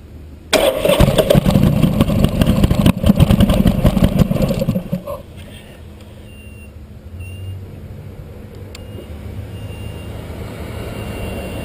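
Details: Buell motorcycle: about four seconds of steady starter grinding, around three beats a second, then it stops dead with no firing. It cranks but won't start, after an odd humming noise, and the battery then goes flat.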